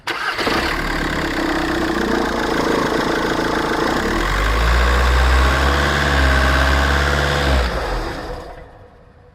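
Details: VW Caddy 2K 1.9 TDI (BJB/BLS) 8v diesel van at idle: wavering serpentine belt squeal with fast tensioner flutter, caused by a failing alternator one-way clutch (overrunning) pulley.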